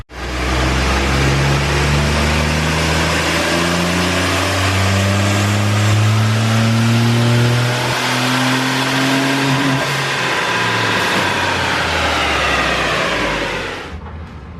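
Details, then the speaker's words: 2000 Honda Insight 1.0L 3-cylinder with custom Garrett ball-bearing turbo, 2-inch stainless exhaust, IMA battery pack dead and disconnected: full-throttle pull, pitch climbing evenly to the rev limiter near 5,400 rpm, about 5 psi boost by 3,000 rpm; clean, no knocks, normal. "Because of the IMA, it has a rev limiter at 54, which it won't let us go by."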